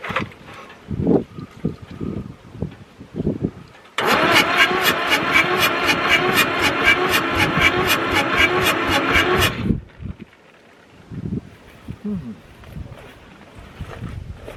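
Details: Fire-damaged Ford 4000 tractor, sat 20+ years, cranking after the injection pump was bled, tank raised for gravity feed, fuel on, throttle full: about 5.5 seconds of steady cranking, roughly four turns a second, no firing; faulty injection pump not delivering fuel.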